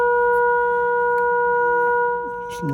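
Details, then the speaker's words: Arvin 257T tube radio during alignment, oscillator trimmer A4 adjusted with signal generator: clean steady whistle, firm and strong with no wavering or hum; set aligned at its peak. "I better screw that in. So you can hear that peak. It's good."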